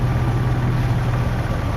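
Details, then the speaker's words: Jeep 4.0L inline-six (ZJ) idling just after cold start, after an oil filter adapter repair: a steady low hum with faint quick tapping, the known 4.0 tick, heard on startup and warm-up, barely audible when warm. "When this guy's warmed up, you barely hear it. Only on startup and in the warm-up process do you actually hear them."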